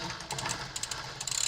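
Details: Rambo bike rear derailleur after about one full turn of the barrel adjuster to add cable tension: light freewheel ticking, then one crisp click as the chain drops straight onto the next cog, with no rattle or hesitation. It shifts clean.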